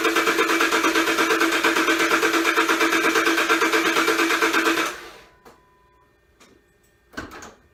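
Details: V8 running with lumpy uneven beat about three pulses a second, then shut off; misfire code on cylinder 8, flood test for dead cylinder, new intake manifold shifted and blocks the cylinder 8 spark plug hole.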